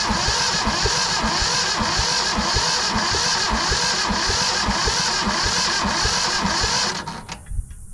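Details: Yanmar 1500 two-wheel-drive tractor, given as non-running, with decompression levers open: steady starter churn about four beats a second for seven seconds, no firing catch; cranks but won't start, fuel bleeding next.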